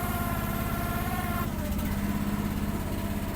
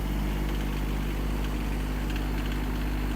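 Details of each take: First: Gas-engine mini machine on a cold, snowy day, choke just turned off and still warming up: steady idle with a high hydraulic-pump whine that swells in spots. It is loud when the hydraulics are unused and quiets under use; the owner suspects it needs to warm up. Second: Kymron XH20D 3500 lb mini excavator with Yanmar diesel, cold snowy day, just started after warming the glow plugs: steady, even low diesel chug at cold idle, no knocks, misses or hunting, burping some smoke; normal cold idle.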